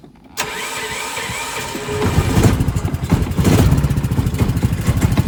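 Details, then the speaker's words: Harbor Freight Predator 420cc single on a pit golf cart, no air filter, vacuum fuel pump, performance cam, glass-pack muffler: starts at once and settles into a loping, slightly uneven idle with a deep exhaust note; runs fine, just a hot cam. "See, this thing runs actually halfway decent. Sounds like it's got a little bit of a low P camshaft."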